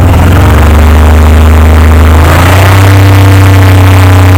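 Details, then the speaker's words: 1998 Oldsmobile 88 with a cylinder 3 misfire code, despite new plugs, wires and coil packs: an uneven, loping idle with irregular stumbles in the exhaust as revs change. It skips when revved; the cause is not yet found. "okay 98 old DE 88 yeah cylinder 3 Miss fire I changed the plugs the wires oil pads are new it runs great but if you listen when I rub it up it skips and I can't figure out why"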